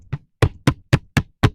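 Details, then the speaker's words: Gokeep F5 electric scooter, 52V 20Ah, stock condition: six sharp hollow knocks about a quarter second apart as the deck is jolted; battery is unsupported and shifting loose inside the deck. "J'ai pu voir aussi que la batterie n'était pas soutenue, c'est-à-dire elle se balade dans le deck. B, elle se balade."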